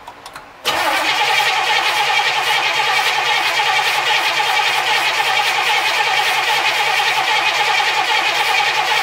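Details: 1964 Cadillac V8 with points ignition, sat 17 years, new oil and filter, charged battery, fuel from a jug to the carburetor, starting fluid: steady cranking three to four beats a second with no firing; test light shows no spark.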